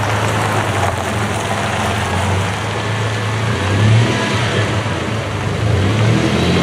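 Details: 1996 Dodge Dakota 3.9L V6 with new fan clutch, on road test in cold weather: even, moderate engine roar without the loud fan rush; fan clutch slips and freewheels normally, as it should.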